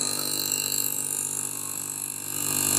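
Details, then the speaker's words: AC rotary compressor opened up, bench-started on supply wired to common and running terminals, drawing about 2.9–3 A: steady whirring hum with bright, even mechanical ring, no knocking or seizing; compressor running freely. "इसको start करते हैं compressor को। ठीक है। ये अपने start हो चुका है।"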